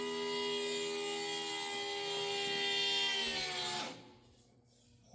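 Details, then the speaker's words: Newly installed Aces EFI Kill Shot electric fuel pump on a C50 build, key-on prime after fixing a leaking fitting: faint smooth electric whine that drops in pitch and stops as priming ends; quiet, healthy pump. "is a pretty quiet fuel pump I think we're dry now so I think we're good"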